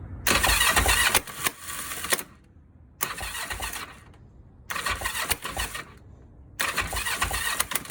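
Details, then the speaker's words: Abandoned Kawasaki EX-500 motorcycle, starter motor refitted in a modified position; four separate bursts of starter whirring with pauses, engine never catches or fires; cranks but won't start, cause not yet confirmed. "But as you saw from the last clip, this bitch was not starting whatsoever."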